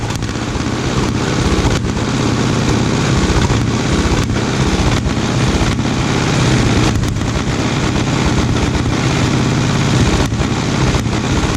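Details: 1936 Caterpillar RD7 small two-cylinder petrol starting (pony) engine, first start after rebuild for water-seized parts: loud, fast, steady chuffing with even firing, no misses; fired right up. Normal running.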